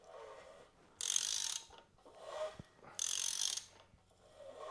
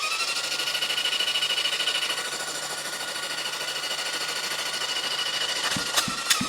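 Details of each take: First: Seized 1973 Honda CB750 four-cylinder turned slowly by hand after soaking cylinders with ATF: gritty scraping bursts about every two seconds, crunchy and stiff in spots; partly seized engine. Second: 1973 Honda CB750 four-cylinder, previously seized and freed with ATF, spun on the starter after the ATF was blown out. A steady starter whir with an even pulse near 200 per minute; it turns freely and has compression.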